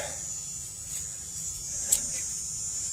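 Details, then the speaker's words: BMW X5 with overheating after water pump and thermostat replacement: electric coolant pump running after its connector was refitted correctly, a steady high-pitched whine with no grinding or stutter. "I mean I can hear the pumpery come on pump is running Savage"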